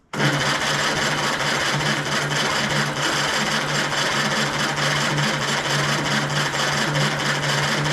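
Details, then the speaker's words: 1935 Austin 7 engine on a 12V battery at full throttle, no choke: a fast, even whirring crank for eight seconds, almost catching but not starting. The cause is unknown. "did you hear it was beginning to go there a little bit beginning beginning but we're going to run out of battery"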